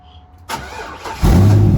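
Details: 2004 Corvette LS1 V8 with 40,000 miles, rebuilt after a wreck, first start after a fuel pump replacement: brief hum, then the starter catches and it fires cleanly into a steady low idle. A normal, healthy start.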